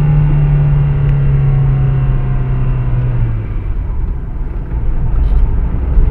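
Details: VW MQ200 02T manual gearbox with failing bearing, driven with the damage for about 50-60 thousand km; low droning rumble with steady hum that fades as the car slows, gearbox bearing noise under way.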